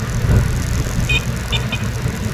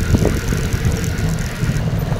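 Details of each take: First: Rusi Flex 125i scooter riding over bumps after the fix for the noisy front fender: steady engine and road rumble, no rattling or knocking from the front end, only the phone holder bouncing; the irritating knock is gone. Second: Rusi Flex 125i scooter after the front fender fix, riding into a deep pothole: over road rumble, a couple of hollow plastic knocks as the wheel drops; the front fender still hits only on very deep holes.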